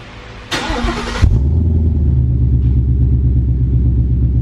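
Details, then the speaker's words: Rebuilt wrecked 2015 Mustang GT V8, cold start just after installing a new aftermarket exhaust: starter catches and fires straight into a deep, even high idle with steady exhaust rumble; normal healthy cold start. "all righty guys I'm not sure how good was he showing up on camera or the sound quality but man this thing sounds good the best $350 I've ever spent"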